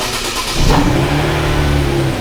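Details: Engine starting and running during a fuel pressure test, with the gauge on the fuel rail Schrader valve. It fires into a steady, even idle with no misses or knocks. Normal.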